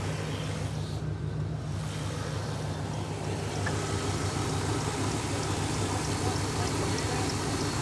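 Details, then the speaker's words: 1995 GMC truck engine cranking freely without the earlier drag and settling into an even, steady run after distributor timing was corrected; previously ran poorly when hot. Normal cranking and start after repair. "so you can literally hear the difference when it cranks before when it was cranking it had kind of a draw back you tell the timing was off"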